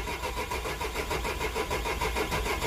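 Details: 2003 Nissan/Renault/Opel 1.9 diesel, engine very cold, with the engine light flashing: steady fast cranking at five to six compression beats a second that never fires. Crank no start, with fuel pressure, flow and temperature readings being checked and suspected.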